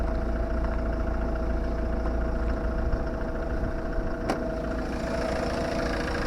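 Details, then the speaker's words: Ford Mondeo Titanium diesel: even idle with a light, regular clatter and a faint steady tone over the top, nothing out of place; engine sounds healthy. "tak słyszycie klekocze silniczek ładnie"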